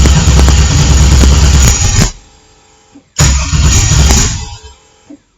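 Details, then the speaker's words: LS-swapped engine on a MicroSquirt ECU tuned in TunerStudio, 49°F garage: the starter cranks at about four turns a second with a few weak sputters but no catch. It fails to start after a small fuel-table increase; more fuel was then added. "so that didn't work so let's go up here but I'll give it a bunch of fuel"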